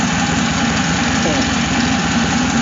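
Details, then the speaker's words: Hemi V8 after aftermarket cam install and radiator flush, idling steady and even with a smooth low rumble; power steering pump whine quieted after adding fluid, air bubbles working out of lines that had been disconnected: normal idle. "that noise kind of quiet it down that was from the power steering pump and I added some more fluid to it"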